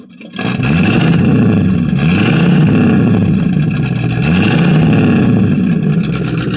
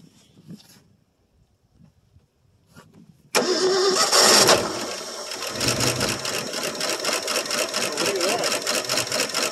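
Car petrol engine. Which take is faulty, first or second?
second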